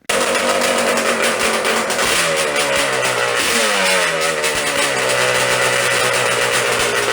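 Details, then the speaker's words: Yamaha Banshee drag build on cheap knockoff Keihin 38mm PWK carbs, pilot jet raised from 55 toward 80 to idle: a two-stroke twin idle with a wandering, hunting beat that never settles; lean idle. "Here's what lean looks like and sounds like."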